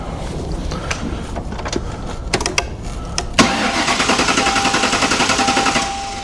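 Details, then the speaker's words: 1957 Ford Ranch Wagon during a body swap from a Mercury, battery just hooked up and ground reconnected: steady rhythmic cranking at about three and a half beats a second without catching; cranks but won't start, owner suspects a missing ground. "Don't start that with me. Come on now. There's a ground somewhere that ain't letting it do its thing."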